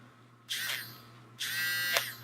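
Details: Battery-powered (AAA) makeup brush cleaner spinner motor: short bursts of high, even electric buzz as it starts and runs steadily; working normally after batteries installed.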